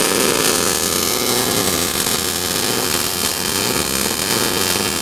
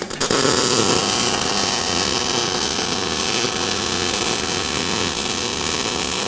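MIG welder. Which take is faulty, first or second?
first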